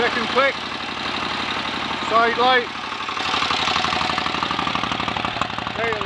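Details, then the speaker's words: 1930 Royal Enfield Model K 1000cc V-twin motorcycle, kickstarted and left on a fast idle with sidelight and tail lamp on to check charging: slow, steady, even loping beat, no knocks or misses; normal idle. "oh that's all working nicely what a beautiful old engine listen to that a better fast swipe with a kickstart would speed that engine up lovely old machine"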